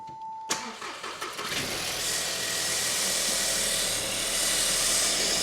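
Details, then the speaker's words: 2022 Audi A1, crash-damaged, under 3,000 miles, airbox removed, owner earlier suspected knocking: engine catches and a loud, steady hiss builds over the idle; vacuum leak traced to a big clip missing off the intake. "What we got? A vacuum leak? Yeah, what? Yeah, there's a big clip missing off of here."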